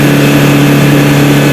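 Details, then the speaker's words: Mitsubishi L300 Euro 4 diesel at about 4,000 km, complaint of weak hill climbing, revved at full throttle with the clutch released: a loud, even roar with steady pitch and no knocks. Normal full-throttle rev; with the clutch pressed it stops at 3000 rpm because of the clutch switch adjustment. "Oke Pak ini Saya tunjukkan Pak ini RPM itu ketika pedal kopling diinjak gas mentok dia hanya mentok di 3000 sekarang kita lepas kopling kita injak full gasnya"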